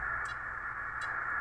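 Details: Homebuilt 1996-97 80 m amateur band receiver (LSB/USB/CW) fed 3.7 MHz from a signal generator in CW mode: only a steady mid-pitched hiss with faint ticks and no beat tone; not producing CW, front end or VCO signal suspected.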